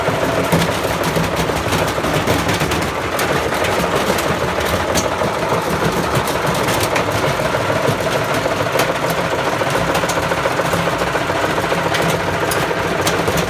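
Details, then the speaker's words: Bosch Classic 6 1200 Express washer hot-wired to the motor, top ballast removed, loaded with objects: continuous heavy pounding and rapid clattering bangs through the whole spin as the machine gradually tears itself apart; drum pounding. "we've kind of come to an impasse there i'm gonna move it back to where it was and give another go it is it is gradually like tearing itself apart it's pretty grim in there"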